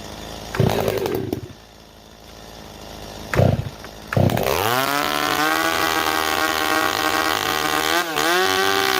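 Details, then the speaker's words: STIHL MS390 chainsaw with IRONHORSE straight-pipe muffler, freshly rebuilt with rings not yet seated: catches after a couple of pulls into a raspy two-stroke idle that wavers slightly, expected to fluctuate during break-in. Normal idle after repair. "Neighbors, what we do is we're going to idle it through an entire tank and babysit it and make minor adjustments as we need to, because until the rings are actually seated, this thing will fluctuate. You will hear it fluctuate up and down as the rings start to seat."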